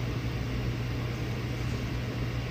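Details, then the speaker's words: Air-cooled dual 2.7 GHz Power Mac G5 after CPU0 passed calibration: steady fan drone and low hum that never ramps up after power-up, as the second CPU is not detected. "at this point the fans should have ramped up because it's detected two cpus it hasn't detected two cpus from i can tell"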